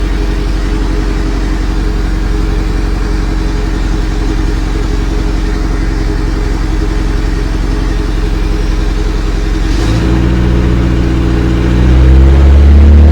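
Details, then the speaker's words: Honda D15 turbo in a Charade, Honda ECU with Demon 2/Neptune RTP base map, first start cold: fast idle about 1400 rpm held by idle air control valve, dropping as it warms; steady even drone, no knocks or misses, healthy. "all right so you hear the car i'd love a child you're controlling the car ahoy 1400 rpm now um that's the earlier control valve doing its thing because suppose i have the idle goal first and then as the car warms up it will take time and go down"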